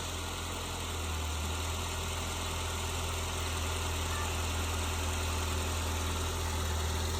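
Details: 2017 Ford Transit Connect work van, first start after battery replacement: steady low hum with even idle beat, no knocks or misses; engine idling smoothly.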